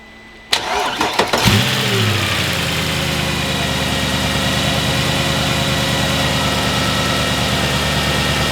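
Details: Mercedes ML63 AMG M156 V8, started after a spinning noise: it catches quickly and settles into a smooth, even idle with no knock; the engine is healthy and the noise traced to a bad AC compressor.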